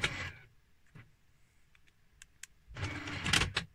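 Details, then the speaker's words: 1997 BMW E39 528i SE 5-speed manual, about 153,000 miles: power windows run with short whirring runs, brief stalls and uneven slow pulls; a little sticky but they work. "so a little bit sticky but they seem to work okay"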